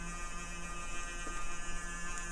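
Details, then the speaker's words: Dell Dimension E521 desktop PC after power-up into setup: steady electrical buzz with a thin high whine holding level. Owner hopes it isn't a 60 Hz buzz; source not pinned down. Electrical buzz. "wow that sounds really bad I hope that's not a 60 hertz bud so I'm pretty sure that's not about to blow up my face"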